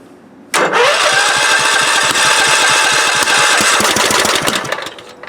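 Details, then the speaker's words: Kohler CV16S engine newly swapped into a 1998 Scott's lawn tractor, choke on: starter cranks, uneven sputtering bursts then dies; hard starting, won't keep running, cause not yet found. "Choke, key, fuel on. Oh, he wants to. Oh, it's struggling. It wants to, though."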